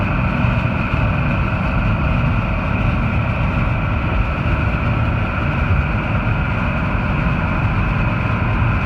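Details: 1989 Ford F-350 7.3 IDI diesel after injector O-ring replacement and new hoses fixed no-start: rough low diesel clatter at steady idle, no stumbling or hunting; normal idle.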